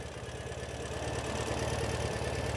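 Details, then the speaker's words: 2014 Ural Patrol 2WD sidecar boxer twin idling cold, not warmed up, after EFI service with valve check and throttle body sync: even, steady low thumping, no ticks or misses; tight, smooth engine. "It's a very tight, very smooth running engine on this Ural."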